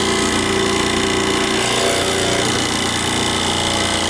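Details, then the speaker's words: Nozzle tester skid pump set to about 40 for a small nozzle, primed by repeatedly opening and closing the ball valve; a loud, steady rattling roar whose tone shifts as the pump picks up prime. Normal pump priming. "usually you have to do it a couple times to kind of prime the pump. So what I'm doing right now is just kind of opening and closing. You actually hear the pump change tone."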